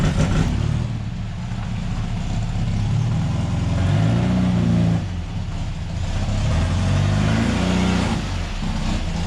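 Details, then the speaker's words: Baja engine after its fuel system was fixed, warming up after being restarted (all it needed was fuel): even engine note with smooth rev blips and a steady idle between; running cleanly and healthy. "And all it needed was fuel, mate. That's all it needed. We'll just warm it up, and then I'll do a couple of quick victory laps."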